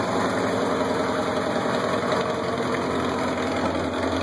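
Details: Kawasaki KZ750 LTD, stock, idling: fast puffing tick riding on the four-cylinder exhaust beat from a small exhaust leak at the headers; otherwise starts and runs well; repair not yet done.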